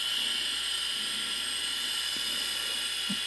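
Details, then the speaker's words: Quantum ProDrive ELS hard drive, heads badly scraped from hitting the rubber stopper near the spindle, now pried off and colliding with the platter: steady high whine with harsh hiss and scratchy rasp; head crash. "the heads have gotten so badly scraped up now that it's actually being pried off the disc slightly and you can actually hear it colliding with the disc now"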